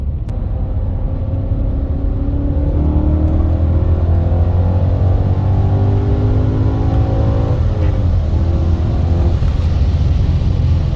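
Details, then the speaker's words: BMW E39 M5 under hard acceleration after a fuel filter replacement, on a very cold day. A deep, even roar climbs cleanly with no misfire or hesitation and pulls strong. The owner is unsure whether the new filter or the cold weather made the difference. "This thing's running strong right now. I don't know if it's the weather or actual fuel filter made a difference, but as far as goes right now, this shit feels solid."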